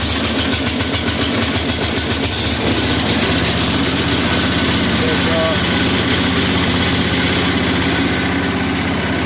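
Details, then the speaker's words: 1961 International Harvester Cub Cadet Model 70 with 7hp Kohler single-cylinder, restarted on choke at half throttle; steady idle with a tinny metallic buzz from the loose fuel tank, not the engine. "But she runs good. It's not the engine rattling. It's like the tank and shit."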